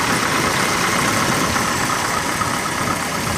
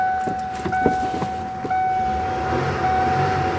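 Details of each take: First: 1991 Mercury Grand Marquis idling after an oil and filter change with 4 quarts 20W50 plus a quart of Marvel Mystery Oil to clear sludge; original battery recharged. Even, quiet idle with a steady beat, no tapping or knocking; sounds smooth and healthy, a normal idle. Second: 1991 Mercury Grand Marquis after an oil change to 20W50 plus Marvel Mystery Oil, with the original battery recharged; a steady high whine rides over several seconds of cranking before it starts, an unusual starter noise of unclear cause.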